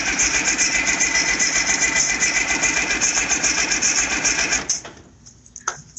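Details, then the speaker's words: IH 5288 tractor diesel, first start after work, oil pressure up: steady fast starter churn about four turns a second with no firing. No fuel at the injectors yet because the lines were empty and air must bleed out. "and there's no fuel up here yet keep in mind we had empty lines and all that Air's got to go somewhere yeah typical leaker dry cranking again"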